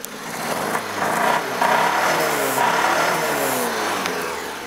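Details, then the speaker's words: Triumph Herald 13/60 barn find with standard four-speed gearbox, odometer reading 9708 (accuracy unknown), revving smoothly with an even, steady note, no pops, bangs, misfires or hiccups; normal healthy running. "hear sounds okay no pops no bangs no misfires no uh no anything really"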